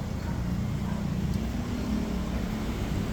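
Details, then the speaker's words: Yamaha Sniper 155R idling with a steady, even low hum and no top-end rattle, after fixing a loud knocking caused by a faulty, loose cam chain tensioner. "naman natin na goods na andar tensioner lang talaga yung sira"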